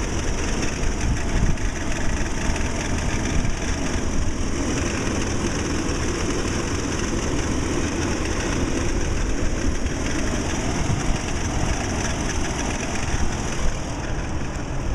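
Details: 2008 Toyota Tacoma petrol engine at idle: a steady, rough grinding growl under the low rumble, attributed to a failing belt tensioner that will be replaced under warranty. Grinding noise at idle.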